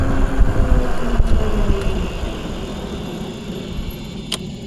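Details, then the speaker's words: Eilleo SpaceWalk M7 electric bike after replacing front and rear brake pads: low rolling rumble and wind with light clicks, braking dead silent with no horn-like rotor squeal or grinding. "Dead silent. Dead quiet. No more horn sound. No more grinding."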